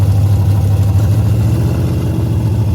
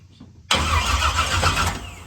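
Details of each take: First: Henry J drag car parked since 1977, first start after a battery charge: loud, deep open-exhaust rumble running steadily for several seconds, then shut off and blipped again; old engine runs strongly. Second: Henry J drag car parked since 1977, after reconfiguring the toggle switches: loud, rapid, steady starter cranking for about two seconds that trails off without catching; a spark was seen afterward.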